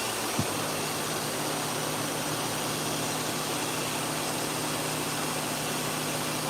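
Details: Hair clipper running after blade socket play was squeezed tighter to reduce noise: steady, even electric buzz with constant hiss, no rattle or knock; blade runs smooth and quiet.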